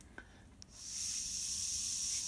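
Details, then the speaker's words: Oiler check valve from a small Poulan 33/38cc top-handle chainsaw, tested by blowing through fuel line on its pinhole: steady airy hiss as air passes freely one way; it passes properly and holds vacuum the other way, so it seals fine. "in this case i can and then suck on it then there should be a vacuum there there so this one's good it's sealing fine"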